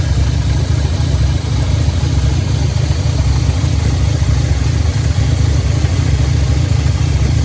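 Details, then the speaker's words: 2010 Audi A5 Quattro coupe, 6-speed manual, original 2.0T CAE engine swapped for a 2015 CPM engine, 144,045 miles, first start after reassembly, before thermostat opens: deep idle with an irregular exhaust stumble, about three pulses a second, misfire at idle; no leaks found. "I marked the oil filter with the date and the mileage to nothing but wicks oil filter you can hear the engine definitely running with a misfire"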